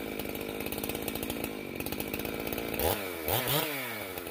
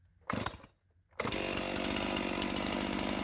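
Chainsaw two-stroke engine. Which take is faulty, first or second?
first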